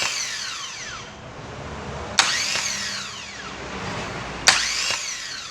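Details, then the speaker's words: 2009 Chevrolet Agile 1.4 starter motor after removal and lubrication of a dried-out but undamaged unit: two short smooth spin-ups with a falling whine, no metallic noise or grinding, sounding like new. "que simula a partir daqui uma cabocla o barulho de motor de arranque novo"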